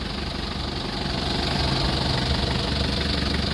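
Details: 2003 Mitsubishi L300 diesel pickup: rough idle with a heavy, regular chuffing beat about four times a second, consistent with bad blow-by past worn piston rings; engine overhaul needed.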